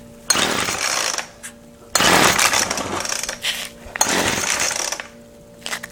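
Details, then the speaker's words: Weedeater Featherlite FL25 small two-stroke trimmer engine, half choke: fires in roughly one-second bursts, then cuts out to near silence each time and won't keep running; owner suspects fuel isn't getting somewhere despite pumping the primer bulb. "I heard it far tons to half choked and then it dies and usually if I crank it a little more and that's all I'm going to get out of it so obviously fuel is not getting somewhere"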